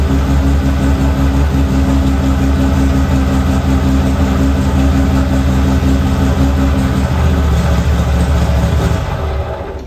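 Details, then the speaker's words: TVR 2500M classic started on its own battery, without the jump pack; deep even engine note running smoothly, pitch lifting as it's revved then easing back, no misses or knocks; normal start and rev. "this one started we'll try the next tbr"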